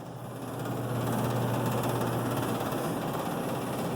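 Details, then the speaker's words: HVAC blower motor restarted by hand after failing to run in summer heat: steady low hum with rushing air building over a second then holding even, no scraping or rattle; blower running normally. "You can hear it working. All right, the air is blowing."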